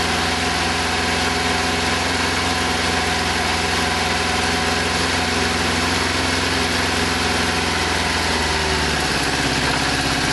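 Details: Kawasaki GPZ600R four-cylinder, first start with choke after standing over 18 months: rough, uneven idle with a lumpy beat about twice a second, one cylinder dropping out and only occasionally catching; misfire on one cylinder.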